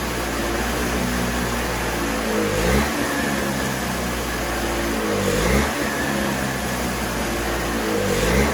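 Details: Toro CCR3000 single-stage snowblower, 5 hp Suzuki engine, started on choke after priming and run dry for summer storage: engine sags and recovers in slow surges every few seconds as the carburetor empties. Fuel starvation.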